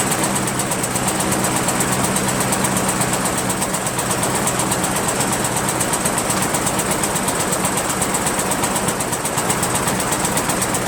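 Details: Rebuilt Briggs 17.5 HP engine, repowering a Yard Machines lawn tractor, with two broken balancer counterweight links replaced: single cylinder chugging unevenly at about 160 beats a minute, stumbling and backfiring; owner suspects the carburetor and ordered another.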